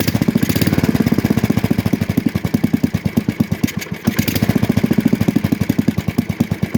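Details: 1966 Custom 6 engine after reassembly with a new starter-generator bearing, pull-started. Even, steady single-cylinder thumping at about eight beats a second holds speed without misses, though it smokes from water in the bore and oil on the block. Normal running.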